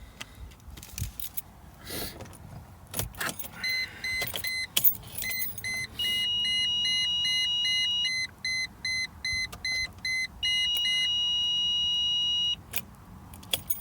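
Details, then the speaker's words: 2002 Mercedes E320 that went into transmission limp-home mode and now won't start: repeated high-pitched beeps in bursts while the engine never fires, owner says most likely parking sensors; a leaking TCM later found full of fluid. "that beeping is most likely my uh parking sensors by the way"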